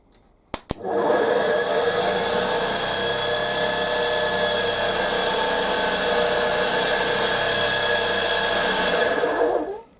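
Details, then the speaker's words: Fire truck compressor pump converted from 240 V single-phase motor to a 12 V DC hydraulic pump motor on the pump shaft: even, steady whirring start to stop with no knocks or catches, good air output; normal running. "got a lovely rate of air coming out of that"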